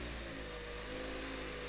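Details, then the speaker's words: 2024 Toyota RAV4 started after holding the dead-battery key fob to the stop/start button: the engine catches and holds a smooth, steady hum with no stumble. Normal start. "And once the vehicle is started, you can drive as you normally would."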